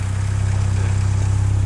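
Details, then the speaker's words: MK2 VW Golf GTI 16V, warm engine, after adjusting the idle screw for rich running: smooth idle at about 1,000 rpm with a steady, even low pulse, no misses or knocks; normal warm idle. "about a thousand yeah and that's a that's a thousand rpm that's what it should be running at"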